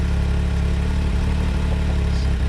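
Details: Can-Am Maverick idling in the desert at 70 degrees after starting once the keys were put back in: low, steady, even idle with a smooth regular beat, no misses or knocks; healthy idle.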